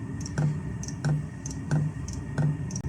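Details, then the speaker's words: Cheap Chinese diesel heater test after rebuild, showing E01 error, battery changed: sharp dosing-pump clicks about 1.5 per second during a failed start. Four failures with a lot of smoke; owner suspects the pump or the glow plug. "okay so we've had four failures a lot of smoke so it's calm back up again so it's either a really crap little pump or a little i mean anthem or i'm going to change the glow plug"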